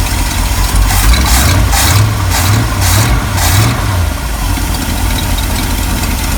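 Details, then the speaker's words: 1974 Ford F-350 crushed by a fallen tree, V8 idling: rough idle with sharp puffing chuffs about two a second; exhaust leak blowing from the pipe where it joins the manifold, not the manifold itself. "now you will hear an exhaust leak that's not at the manifold that's where the pipe comes up and joins the manifold there's actually a little place in the pipe that's where it's blowing out at"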